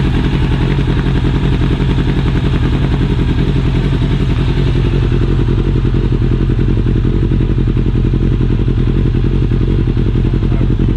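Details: Yamaha Thunderace four-cylinder motorcycle engine after top-end rebuild with new rings, head gaskets and reseated valves, carbs refitted: loud, steady running with crisp even exhaust pulse, no misfire or top-end clatter; healthy engine.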